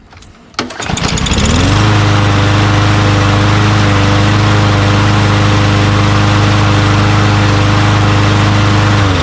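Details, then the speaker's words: Craftsman M110 push mower (MTD-made) with a Briggs 550EX auto-choke engine, after carburetor cleaning, tested without the air filter. It starts on the first pull and rises to a steady, even drone with no surging, running cleanly. "Just like it's always like this model usually starts really easily, starts right up."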